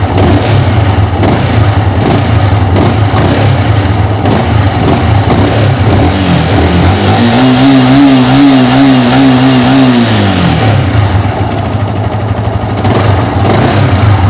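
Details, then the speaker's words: Yamaha R15 after replacing worn clutch housing rubber dampers: revs rise smoothly from idle and drop back evenly; the thump that was heard before the repair when revving from idle is gone, pickup good. "இப்போ பார்த்தீங்கன்னா நமக்கு அந்த இடிக்கிற sound வரல. ஐட்லிங்கில் rice பண்ணும்போது டம்னு இடிச்சுது, அந்த மாதிரி இப்போ வரல."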